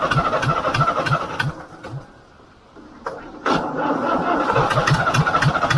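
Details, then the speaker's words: International B414 four-cylinder diesel tractor, sat 20 years, started with ether on old sludgy oil: after a brief dip it chugs along in an even beat of about three and a half per second; runs fine. "oh that's brilliant it doesn't actually sound too bad once it gets running but it took a bit of winding over I had to throw some ether at it but um once once it's going it seems to run Okay"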